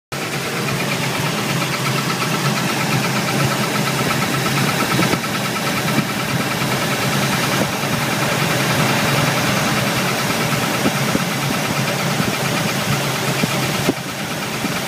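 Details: Pontiac 468 (bored and stroked 455) V8, warm at operating temperature: fast light chirp about three a second, same with belts removed, located at the rear of the engine. Suspected cause: galled, flat-spotted, crunchy #8 exhaust hydraulic roller lifter.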